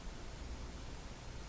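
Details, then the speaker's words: Grundig SO-152-CA console receiver on FM: a steady soft hiss with no programme while the station is weak, which goes quiet once the signal is strong enough for the limiter. "You'll notice when it's weak, you'll hear the hiss and then all of a sudden it will go very quiet."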